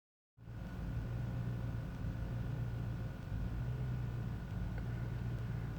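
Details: 2002 Chevrolet Tahoe idling cold: low, uneven rumble with a wavering beat, rough idle; carb cleaner helped briefly, so an intake or gasket leak is suspected over the MAF; cause not confirmed.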